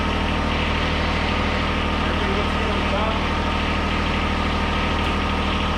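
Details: 2013 John Deere 1023E tractor, 154 hours, 21.5 hp Yanmar three-cylinder diesel, run after an oil change to check for leaks: steady, even low drumming idle with no knocks, misses or ticks; healthy.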